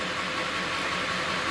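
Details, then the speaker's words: 2000 Ford F250 at idle: a constant rough whirring rumble from the transmission only in neutral with the clutch out. It shifts fine through all gears and reverse with no noise while driving. Cause undetermined. "so this noise comes in kicks in only on neutral"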